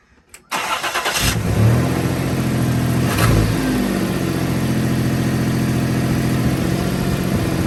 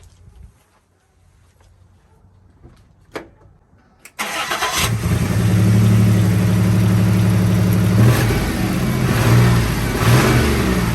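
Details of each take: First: 1995 Toyota 4Runner 3.0 V6 after rewiring a removed part that cured a misfire: cranks and settles into steady, slightly high, smooth idle; exhaust leak still present. Normal idle. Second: 1995 Toyota 4Runner 3.0 V6 that shook violently from a misfire, with slight belt squeak and exhaust leak; fuel ruled out, spark suspected. Engine cranks, catches and idles with an uneven loping beat, one cylinder dead from an open spark plug wire.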